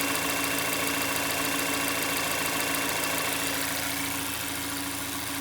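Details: Mazda 6 Skyactiv 2.0 petrol at a steady, even idle after a bearing-shell (вкладыши) repair for a bottom-end knock that began after an oil change with suspected counterfeit oil; no rapping heard now, though the knock later returned with a badly damaged conrod and crankshaft.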